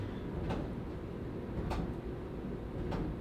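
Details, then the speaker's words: 18-month-old Samsung dryer with cracked drum, after repair: soft thump about every 1.2 seconds over the tumbling rumble; slight thud remains but much better than before. "it's there's a slight thud still but I think that it's way better than what it was"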